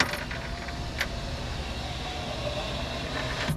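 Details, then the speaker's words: 2003 Jeep Grand Cherokee passenger-side power window after window regulator replacement, key on: switch click, smooth even motor hum about three seconds, clean stop; window now works normally. "a window that now works. Well, I'll be a son of a gun. Somebody actually did something right."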